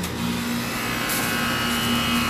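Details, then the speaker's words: Older HVAC condenser unit compared with newly installed quiet 410A units: steady fan rush over a constant low electric hum with no cycling, roughly two to three times louder; loud running noise. "यह शायद दो से तीन गुना जोर से है"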